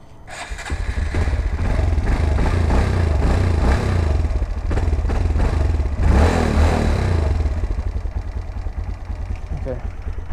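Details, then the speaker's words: Bike with Dynojet tuner and wideband fitted, cold start: catches quickly, settles to steady low idle, slightly lumpy while cold, owner says it may die when cold, no popping; normal cold start and idle. "that's what the bike sounds like it's probably gonna die cuz it's kind of cold but I said the bike sounds like I know whatever warms up it sounds a little bit more normal there's no popping them in accelerating"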